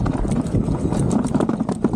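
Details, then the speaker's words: Gokeep F5 electric scooter with a 52V 20Ah battery, riding: rapid, uneven knocking clunks rattle over steady road noise; the rider feels the battery moving, so it is loose and shifting in its mount. "Wouh ! Je la sens bouger la batterie."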